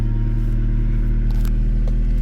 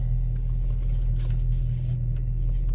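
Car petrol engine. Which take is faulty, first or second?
second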